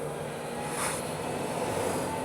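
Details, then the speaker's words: Energica Experia electric touring motorcycle riding Costa Blanca roads in Spain on newly fitted knobby off-road tyres: a loud, coarse, steady tyre drone with no motor note, tractor-like with felt vibrations. Much louder than before but expected; normal. "Oh yeah, but they're much louder. I can already hear them now. Well, they sound mean. Okay, sounding like a tractor now. But yeah, that was to be expected."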